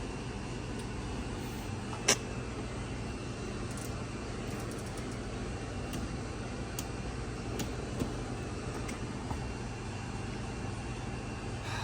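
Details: Maytag Bravos washer after replacing gearcase and basket hub for bad bearing and stripped hub that wouldn't spin at high speed, codes cleared, washing: steady, even low hum, no grinding or knocking, few light ticks; drive running smoothly.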